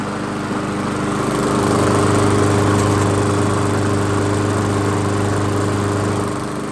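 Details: Old 22-inch Weedeater walk-behind mower after seasonal tune-up and blade refit, brief run: revs up smoothly and holds a steady, even buzz without missing or hunting; sounds good.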